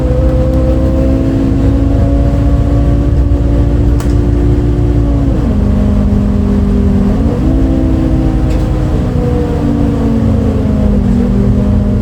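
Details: Recorded 07-03-2022 aboard 2008 MAN Lion's City A37 bus 3477 (MAN D0836 LOH 63 diesel, ZF Ecomat 6HP automatic) on line 8 Eindhoven. Diesel drone under way, a steady tone dropping and climbing with gearbox shifts; an unusual engine sound, cause unknown.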